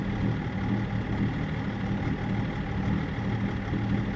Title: BMW e39 530d rough idle INPA values